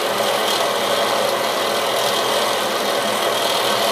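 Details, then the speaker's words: Bathroom fan/heater unit that has long been noisy, previously opened and cleaned, with a flap inside removed: constant rushing airflow with a raspy, scraping edge and no pitch change. The fan itself makes the noise; the cause is unclear. "on the other side the fan is making the noise"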